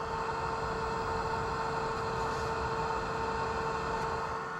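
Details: Polaris RZR Pro XP, S&B particle separator blower fan tested with key on one click after install: steady mid-pitched whir with a constant airy rush, no wobble or rattle, air blowing gently from the port; fan spinning normally.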